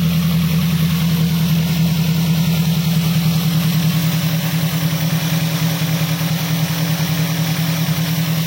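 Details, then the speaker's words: Daihatsu Gran Max after repair for fast oil loss, oil leak and a misfire (cylinder 4 not firing, coil replaced): steady low hum with even firing and no skips; the misfire is gone, normal idle. "oke teman-teman disini mesinnya sudah menyala Ya sudah hidup pincangnya juga sudah hilang"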